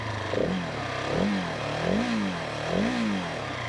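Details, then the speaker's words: Husqvarna 701 Supermoto single-cylinder, three quick throttle blips sweeping up and falling back cleanly: the valve-like idle tapping disappears when revved and there is no rattle; a healthy single, with the idle noise judged normal engine character. "But what happens is that when you rev it up, when you rev up the motorcycle, that noise of the valve kind of disappears."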